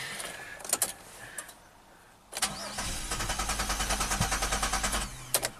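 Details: 2007 Chevy Equinox AWD, 35k miles, after replacing a blown fuse and reseating a relay installed 90 degrees out; a few clicks, brief starter whir, engine catches cleanly and settles to an even idle, starts and runs normally.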